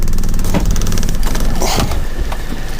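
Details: 1985 Mazda B2000 ute, carburetted 2-litre engine with distributor, recently replaced clutch and gearbox, started without choke: steady low idle, even firing, no knocks or misses; normal idle.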